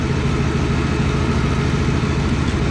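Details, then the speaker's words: 1963 Ford Fairlane 500 with 260 V8, first start after 14 years, carburetor sticking; low idle with uneven loping beat and occasional dropped pulse, not smoking; owner suspects carburetor, maybe plug wire or valve: misfire at idle. "Oh no, that sounds like a hard miss. I think it's in the carburetor."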